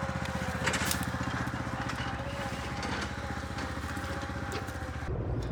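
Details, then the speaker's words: A 2014 Ford E250 van after its bent transmission part was replaced and the transmission was reset with a scan tool so it can relearn. Steady, even engine drone with no grinding or clunking; the transmission shifts and the van drives normally. "Okay, as you could see, the transmission shifts, the van drives."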